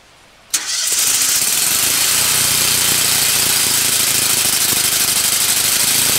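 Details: New Lincoln Ranger 250 GXT engine-drive welder on its first start, choke on, after earlier cranking to draw fuel in: a quick crank catches at once and settles into an even, steady run with no misses or knocks. A healthy first start.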